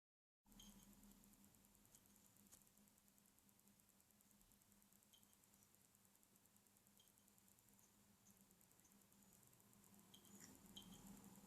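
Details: Acer S3-392G laptop, second replacement unit: faint, irregular ticking clicks, about three a second, over a steady low hum; loud hard drive seek noise from the HDD side, which store staff called acceptable.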